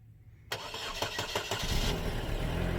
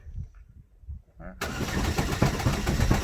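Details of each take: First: Cold start of a Chevy Sonic LT: a brief crank, then the engine fires and flares into a smooth, steady cold idle with no knocking. A normal, healthy cold start. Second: Chevy Sonic after a 10-foot drop, starter relay possibly stuck on: starter spins the engine quickly and unevenly for about two seconds with no compression rhythm and it never catches; broken timing belt found on inspection.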